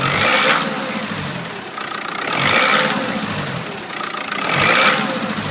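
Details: Diesel 2.0 BKP engine after turbo replacement: high whistle rises with each rev and fades as revs drop; turbo whistling under boost.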